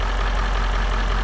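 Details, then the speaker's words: Range Rover L405 that runs rough and chugs when cold, during a throttle body swap: a deep steady idle with rough bubbling gurgle at the air intake, felt in both intakes. Cause unclear. "you do is put your hand over it when I'm ring it then is a gurgling ni a gurling t sound you cly feel get in both of"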